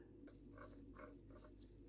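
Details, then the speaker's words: Hyosung Sala scooter front wheel bearing (6200 size) spun by hand: faint gritty rasp with uneven bursts about every half second, rough and dry; bearing to be replaced on both sides. "It's a bit noisy. Yeah, doesn't sound too well."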